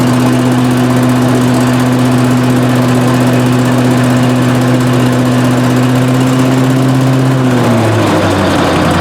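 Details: 18 hp Briggs & Stratton Vanguard on a Giant Vac leaf vacuum, stored four years: loud, steady drone with an even pitch dipping slightly near the end; runs smoothly.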